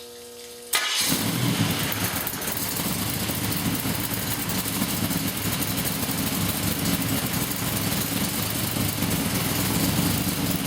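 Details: Blown 355 Chevy (Weiand 6-71 blower, twin 600 Holleys, solid roller cam) restarted warm after sitting; catches and settles into a steady, lumpy ~900 rpm idle with faint blower whine; normal, healthy idle.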